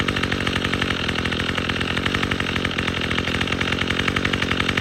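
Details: Troy-Bilt TB22EC two-stroke string trimmer, after replacing an old primer bulb to fix a no-start from sitting: crisp, even buzz at steady high revs, no stumbling; runs clean.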